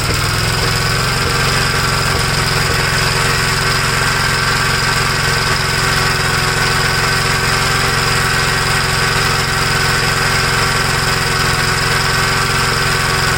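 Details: 1956 Gravely L single-cylinder tractor after moving over parts from the original carburetor to cure flooding: it no longer leaks gas but still runs rough with an uneven, loping beat and irregular firing, about three pulses a second; cause unknown, possibly damage from an earlier governor runaway to full throttle.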